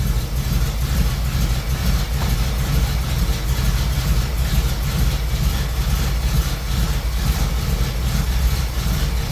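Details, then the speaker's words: Old small-block Chevy V8 that had been sitting, just started with an AstroAI jump starter after extended cranking, in garage: deep, low rumble at steady idle, no misses or ticking; idling normally. "again it's a alive and I had to open up the garage door just to make sure that I stay that way as well we can go ahead and disconnect our Astro AI"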